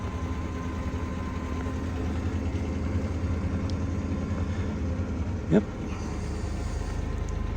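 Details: 2007 Ford F-150 5.4L Triton V8 with 264,000 miles, parked for years, idling right after splicing a critter-chewed ground wire that caused its no-crank, no-start: smooth, even low rumble with no misses or knocks. Normal idle.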